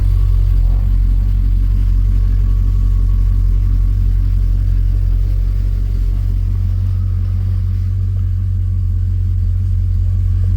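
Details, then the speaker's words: Ford BA Fairmont V8, first cold start after a timing chain repair: a heavy, rough low rumble at idle, louder than ever before; owner suspects oil not yet pumped or a bad chain, and a restart sounded better. "Here he goes. That was terrible. But it fired up. Maybe they need oil. Maybe the chain is no good. Damn it. I was hoping it'd be quiet."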